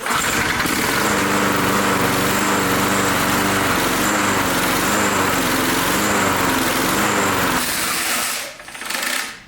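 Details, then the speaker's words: Briggs Touch-N-Mow mower with gas tank removed: buzzes at an even, fast beat for about eight seconds, then fades and dies, running out of gas; won't restart. "see how I kicked back it's running out of gas that's why I won't start but you get the idea"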